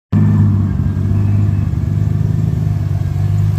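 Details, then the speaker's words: Mk4 Toyota Supra 2JZ with AEM Infinity ECU, running again after a no-start traced to the ECU's internal circuit breaker: deep, even low rumble with no misses, knocks or hunting; smooth steady healthy run. "good to be running again finally we were able to get the Mark 4 super running again"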